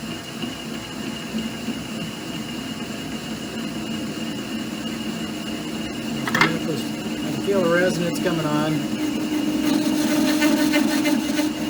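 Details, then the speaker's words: Clausing/Harrison M250 lathe at about 240 rpm with a new reverse parting tool holder, imperfectly mounted, cutting through the outer surface. A steady cutting noise gives way to a wavering ringing tone that builds and holds as the cut deepens: parting tool chatter. "i've slowed it down to like 240 rpm it's going to get loud so just hang in there [Music]"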